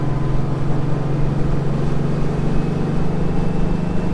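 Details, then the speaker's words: 1955 Porsche 356 Pre-A Speedster with Zenith carburetors driving on a shakedown run: low drone with an intermittent stumbling miss that comes and goes; owner guesses an electrical fault on one cylinder, carburetors already sorted; unconfirmed. "can still hear it though. It's not, whatever it is, it's not happy. My guess is it's electrical and it's one cylinder."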